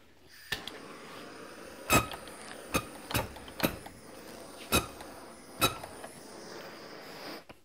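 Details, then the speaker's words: Cummins 5x12 SAC injector nozzle on a pop tester, compared with a VCO: quick, sharp, high-pitched, very fast chatter, about six pops in eight seconds; healthy nozzle spraying crisply. "okay we're gonna start with the sac injector you can hear that kind of high-pitched that's a very fast chatter that it's doing let's see what that looks like with a little fire on it"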